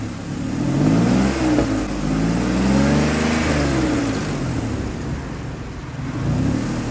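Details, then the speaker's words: 2003 Ford Explorer that failed inspection for misfire, after replacing the ignition coil: pitch climbs and falls smoothly through a couple of revs with a steady even pulse and no stumble; running smoother. "it's running smoother than it was and once I once I put some pressure on it goes right out"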